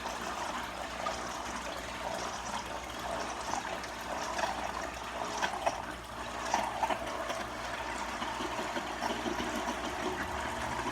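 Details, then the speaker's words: Marineland Emperor 400 aquarium filter after fixing the impeller, which wasn't pulling enough water to turn the bio-wheels: steady water trickle and splash over a faint even motor hum; running quietly and normally. "So it's real quiet. So let's put this up. There we go. And it's working."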